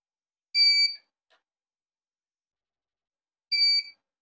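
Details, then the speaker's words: Used UPS converted to power inverter on 12 V 60 Ah battery: two shrill high beeps about three seconds apart with silence between, the on-battery alarm buzzer, later desoldered; UPS on-battery alarm beeping. "dit blyk die alarmklank is nogal steurend, ja, ons moet saam Neem net die pot"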